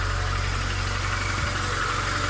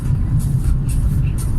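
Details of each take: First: VAZ 2114 engine, 235,000 km, trial cold start at 0 °C after reassembly with new camshaft stud and lapped camshaft bearing beds, fixing knock and wandering idle: steady, even idle with smooth low rumble, no ticking or knocking; healthy. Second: VAZ 2114 petrol engine on a frosty −4 °C day, clutch pressed after driving in fourth gear: a steady, even note holds at about 1500 rpm and won't settle to normal idle. Owner suspects a dirty idle air control valve and plans to clean it.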